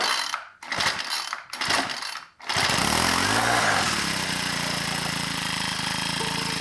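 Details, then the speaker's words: Pull-start small engine with primer bulb, not winterized, first start after winter, full throttle: three cord pulls, catches straight away and settles to a steady even buzz; starts and runs healthy. "Well, we're 2 for 2 so far. This thing starts so easy every season."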